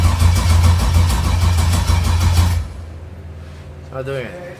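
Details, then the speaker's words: Freshly installed turbo LS engine in a drag-build truck, no fuel pressure because the fuel pumps are bad and getting very hot: catches on starting fluid, runs with a deep, uneven burble about two seconds, then dies from fuel starvation. "So, a little update on the engine. Uh, we got it to turn on uh but we cheated because we used a little bit of uh starting fluid. So, what happened uh is that our fuel pumps are bad."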